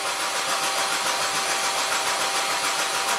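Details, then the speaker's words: BMW X5 deliberately disabled, cranked about 15 seconds for a gas analyzer: a steady starter whir with even cranking pulses that never catch or fire; hydrocarbons below the 7,000 ppm minimum, so no fuel is being delivered. "So now we're gonna crank the engine over and look at the gases and see if we can figure out what is missing."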